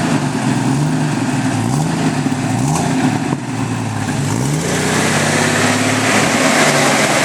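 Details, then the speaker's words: Jeep Cherokee 4.0L stroker engine with an OBX header: rapid steady tick, about four a second, from the back side of the engine, heard through a listening tube. The cheap supplied intake/exhaust gasket had blown apart, causing an exhaust manifold leak; a Felpro gasket fixed it. "that stroker motor sooner than we thought. Got a lovely tick coming from the back side of the motor."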